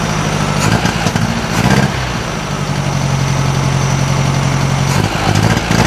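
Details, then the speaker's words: 1956 VW Beetle flat-four with NOS Solex 34 PICT 3 carburetor, new diaphragm: uneven running that sags and hesitates when revved; sounds fuel-starved, behaves like vacuum leak, likely carb-internal. "just sounds like it's not getting enough fuel"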